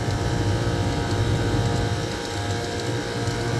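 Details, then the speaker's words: Scroll compressor on a rooftop HVAC unit under temporary repair: steady low rumbling hum with uneven chatter, earlier loud knocking not present now; refrigerant pressures dragging and odd, scroll set suspected hitting something, possibly oil. "All right. It's running it's not doing it right now is a loud knocking. sound"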